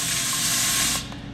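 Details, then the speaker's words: Air compressor tank drain valve, rerouted through a smaller drain line into the sump. A loud, steady hiss of air and water rushes out for about a second, then cuts off sharply. Normal tank drain blowdown. "Hopefully you get to see a bit of rusty waters so you guys can see the water come through, but let's have a try her out."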